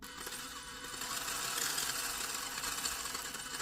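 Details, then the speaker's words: LDRC 1804 Mazda MX5 Miata mini RC drift car, stock ESC/receiver combo, gyro turned on, single held throttle input: high buzzing motor whine stuttering about four times a second; jitter disappears with gyro knob set to 0. Motor jitter from gyro setting. "And all that jittering it's doing on its own. But if you want to drive it around scale and, you know, don't want to have to deal with, look at that jittering, just turn the gyro knob all the way to 0 and check out how smooth it is now."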